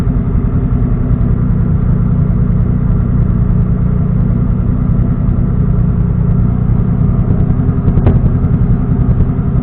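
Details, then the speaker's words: Engine on a standalone ECU being tuned in TunerStudio, idling while warming toward operating temperature: steady rough-edged idle with one sharp pop about eight seconds in; lean idle backfire, needs slightly more fuel. "See, as soon as you hear something backfired and while it's idling, she needs a little bit more gas."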